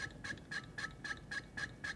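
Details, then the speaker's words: Audi CIS fuel injector on a bench tester, gauge valve closed, lever pumped quickly 20–30 times; sharp even high-pitched buzzing bursts about four per second, normal injector chatter. "The chatter frequency should stabilize after the tester lever's pumped about 20 or 30 times."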